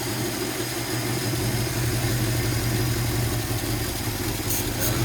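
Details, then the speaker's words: 1957 Chevy Bel Air V8, first start in 15+ years, new battery, coil and fresh gas: low, lumpy, wandering idle struggling to keep running; rough idle, owner thinks it's the carburetor and may fit a new 2-barrel. "She's running rough. I might get a new 2-barrel carburetor for it."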